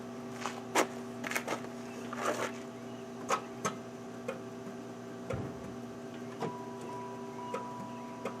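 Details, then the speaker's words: Two-door Pontiac Grand Prix special edition, one-owner car from Texas: scattered sharp clicks over a steady electrical hum with no cranking. It fails to start, and the owner suspects the starter is dead, though it may have turned over. "I don't think this thing's gonna stir it up I think the starter just bit the dust"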